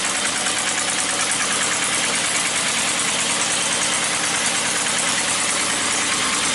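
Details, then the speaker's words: Engine sounds really loud at the back: loud, steady roar with a hissy, rough edge, no clear knock; cause not pinned down. It calmed down after running a while, expected to improve with heat cycles. "It just seems really loud back here, you know"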